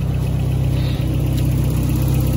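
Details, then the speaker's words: 1971 International 1310 grain truck, old farm truck V8 just started after sitting: even low burble holding steady at idle, no knocks or stumbles; engine sounds healthy. "oh yeah oh yeah sounds good i mean title time blowing all the all the mice out of there"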